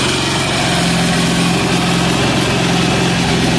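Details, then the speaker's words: Amazon 186FA single-cylinder diesel, started on diesel, now running on filtered used synthetic motor oil: even, steady thump at idle with no misses or knocks; runs smoothly and healthy. "so I'll start it I'll get it warmed up see how it's not smoking now it's not smoking because it's hot and it's running motoroil"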